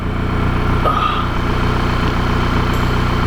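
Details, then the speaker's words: VW Mk5 Jetta Wolfsburg 2.0T TSI, rebuilt engine with 1000 km, warming up to about 194°F before a compression test: even, steady idle pulse with a smooth low rumble, no knocks or ticks; normal healthy idle. "let's warm this thing up so that anything else the pistons expand and the cylinder is sealed so we can get an accurate compression test result"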